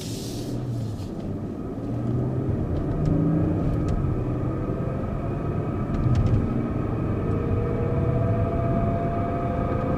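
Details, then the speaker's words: BMW 740 (G series), 76,000 km, on road from about 40 km/h: steady droning howl rising with speed, louder on throttle, quieter on lift-off, from the rear; worn rear differential bearings, differential removed for repair. "油门松掉，这个声音就很轻。一加油的时候，呼的这个，你有没有听到？"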